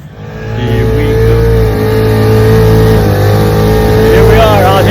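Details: 1947 Johnson HD-25 2.5 hp two-stroke outboard, restored, after replacing a broken carb intake manifold and sorting carb settings, on a lake test run; steady, even buzz under way with no misses or knocks, normal running.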